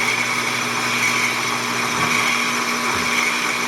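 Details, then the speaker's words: Hobby lathe boring a hole for a model Stirling engine part, undersized boring end mill, bore near 0.430 in, taking a 20 thou cut: sharp steady high-pitched squeal over the lathe hum; the boring tool chatters. "I'm going to take a 20 thou cut and see how that sounds. Oh, start squealing."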